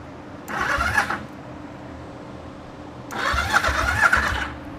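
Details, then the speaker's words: 1974 Yamaha TX500 twin revived after 20+ years: two one-second cranking bursts with uneven chuffs but no catch. Spark confirmed; it started soon after, and the carbs and valves still need work. "Come on. It does have a choke. Come on. It's trying. It's starting to pull fuel. It's trying."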